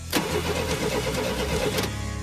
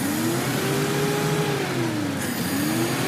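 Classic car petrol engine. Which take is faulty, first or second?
first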